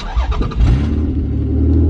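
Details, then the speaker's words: V6-swapped Toyota MR2, no muffler fitted, still a bit cold: starter catches quickly and engine settles into a deep, steady, unmuffled idle with no stumbling; healthy cold start. "nice still a bit cold but you know let's go reverse"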